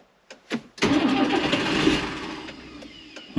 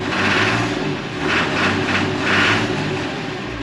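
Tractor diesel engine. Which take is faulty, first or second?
first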